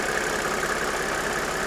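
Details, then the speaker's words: 1997 Mercedes E300 (W210) diesel idling with a steady, even clatter and no misses after its six worn glow plugs were replaced, and it sounds much better than before; normal idle. "she sounds really good okay yeah prefer the code and she is going to be good for another 200 000 miles folks"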